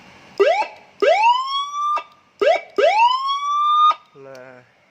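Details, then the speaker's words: Siren module on 12 V supply: clean loud rising wail tones, then a short lower tone, undistorted; siren now normal. "ternyata suaranya normal. suara yang lain. Nah, udah normal."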